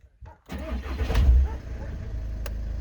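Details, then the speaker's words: Volkswagen Caddy 2.0 TDI common-rail diesel after fuel system repair with new injectors coded, after a drive: short crank, fires at once and settles into a deep, even idle with no stumble; starts easily, runs smoothly; normal diesel start. "опускається легко працює рівно зараз зайдемо подивимося параметри роботи на холостих"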